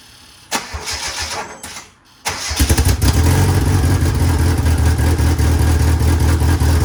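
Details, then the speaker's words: DSM build, cranked to see how the pump and belt act: brief cranking, pause, then clean catch into a steady, even idle; normal cranking and start. "All right, perfect. So you guys can see that it definitely was working. Holy crap, it works."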